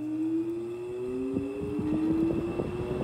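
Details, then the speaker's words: Haier 5200 BTU window air conditioner bought in 2006, compressor just shut off with the fan still running: steady high squeal slowly rising in pitch over a fluttering rattle; owner suspects a motor problem or overcharged refrigerant. "this is that motor squeal so yeah definitely a motor problem or or she's overcharged"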